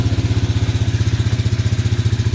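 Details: Canyon 250cc shaft-driven Chinese ATV started by push button after fresh transmission and differential gear oil; even low thumping idle about eleven pulses a second, steady with no misses or rattles, healthy idle.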